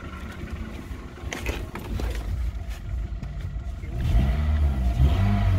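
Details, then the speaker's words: 2002 Skoda Fabia Comfort estate 1.4 16v petrol, engine light briefly came on then went off: engine catches after a few seconds of cranking and settles into a steady, even low idle with no knocks or misses; runs well. "start it up now as you can see runs well"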